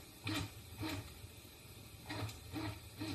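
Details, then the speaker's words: Assembled 3D printer kit, X and Y axes jogged from software: short stepper bursts with low hum and brief rising squeal, smooth with no grinding, showing an axis moving freely as it should. "so I'm just going to move the x-axis a little bit okay that's the x-axis U this is the Y"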